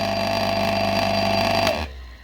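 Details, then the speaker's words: Single-phase AIR induction motor with large start capacitor, run through a three-wire soft starter: starts smoothly but hums loudly with strong vibration absent on direct mains; soft starter not fully open, clipping the sine wave supply. "Подключил к нему стартует плавно разговоров 0 Но есть один момент он очень сильно гудит"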